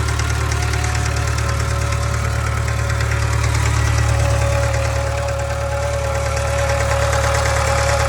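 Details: Subaru 2.0 boxer engine, 2013: a steady low drone at idle with a regular, fairly even knock on top, about three or four a second. The owner reports a hum and a knock in the engine; source not identified.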